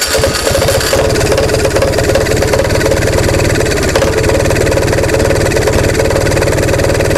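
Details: Onan MDJE diesel generator started on a warm day after battery charging, with torch assist: catches quickly and settles to steady even low chug, no misses or knocks; not yet at rated speed.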